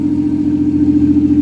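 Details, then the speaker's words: Toyota 1JZ engine in a Nova at warm idle during first start, mixture being leaned out: steady hum with slight unevenness, rough idle from rich mixture; idle quality and speed smooth out as AFR is leaned, though a hiccup persists; wiring problems later found. "I'm gonna I'm gonna lean it out a bit more and if you notice the idle quality goes up when I lean it out"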